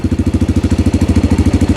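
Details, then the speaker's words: 1987 Honda 250X ATV, cold after sitting, idling after cam and rocker arm installation: steady, even single-cylinder putter with no tapping; normal Honda tick, previous chatter gone. Normal idle. "that's the way she's supposed to sound absolutely so really all I'm hearing is your normal Honda tech uh and that's just normal"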